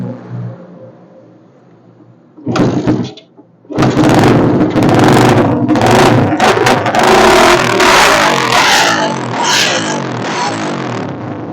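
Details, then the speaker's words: Suzuki Satria FU motorcycle with a new non-original regulator/rectifier, which stuttered and bogged with CDI protection without a battery; jumped to a good 12 V battery, it idles, blips and revs smoothly with no misfire. "Oke dan ketika kita beri aki yang setrumnya masih bagus dia baru bisa normal ya jadi aki ini mampu ee menstabilkan arus stabil 12 volt ya"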